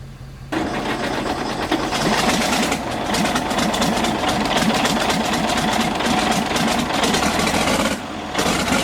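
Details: Galion T500 motor grader diesel that sat about 14 years, cranked after the fuel was turned back on: after a short crank it catches and settles into an even, busy clatter with a steady beat. Now runs normally.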